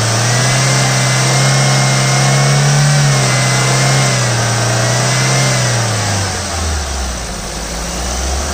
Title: Ford Figo petrol, white color, 2011, engine noise.